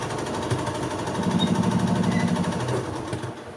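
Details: 1986 Yamaha G1 gas two-stroke golf cart that shut down while driving; fuel smells like diesel. Starter spins it in an uneven chatter about three times a second but it never fires; clogged carburettor.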